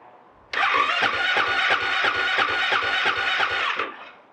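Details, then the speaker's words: Husqvarna FE 501 in cold weather, undersized stock lithium battery, waiting 30 seconds between attempts: starter whirs with slow labouring compression beats about three a second, never catches; weak cold cranking amps, fixed with 220 CCA battery. "attempts at starting maybe necessary to warm up the lithium ion battery and there by increase the starting power so it says wait for 30 seconds before attempting a further start"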